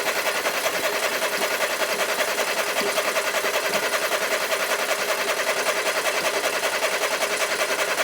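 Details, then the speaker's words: 1990s French hot hatch barn find, cranked with HT leads refitted and ignition on, hoping the fuel pump runs: steady, fast, unbroken starter whirring with no firing. It won't start; checking a plug for spark is one option. "No. Right. Okay, so two choices. I could take a plug out and check for a spark."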